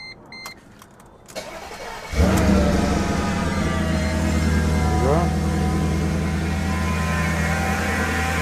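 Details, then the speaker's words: 2005 Mercedes-Benz C55 AMG M113 V8, first start after valve stem seal replacement: a few faint clicks, then catches promptly and settles to a smooth even idle, no knocks or misfires; some smoke from spilled oil; normal. "it sounds good just going to look for leaks or anything going to see some smoke because of the oil they spilled on the side they should be normal sounds nice and smooth no noises"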